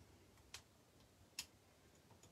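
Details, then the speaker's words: Genius GTC8 differential being assembled, with a 0.2 shim setting pinion mesh: two light, crisp clicks as the pinion is rocked; a small amount of bevel-gear backlash, which is correct and normal. "Il faut qu'il y ait un petit peu de jeu. Il ne faut pas que ça fasse un grand jeu, mais un petit jeu. Là, c'est bon."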